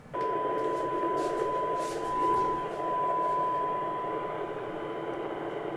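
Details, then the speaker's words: Yaesu FT-2312 1.2 GHz transceiver receiving a weak modulated test signal at 1298 MHz. A pure tone sits under a loud constant hiss that should not be there; a VCO signal problem is suspected: receiver noise floor over the test tone. "There is a tone and apart from the tone there should be nothing audible but we have here a very powerful background, let's say it is a noise background, a large noise background that is superimposed on the Dem signal"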